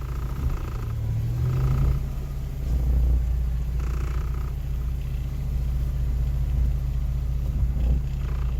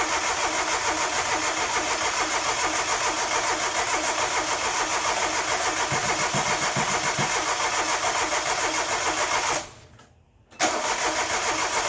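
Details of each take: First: Geo Metro engine after in-place rebuild (honed, re-ringed, rebuilt head, new rod bearings), before break-in: steady even low rumble, slightly high cold idle, no knocks or ticks; normal idle. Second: Well, compression sounds good. Let's see if we're getting fuel. Don't think we're getting fuel.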